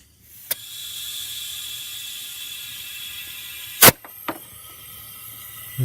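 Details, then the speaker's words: BMW 335i N54 boost leak test with the engine off and the intake pressurised through the boost gauge line: a steady airy hiss, then a few clicks, as air escapes from a boost leak somewhere. "you like me out here you know I can also hear it leaking somewhere"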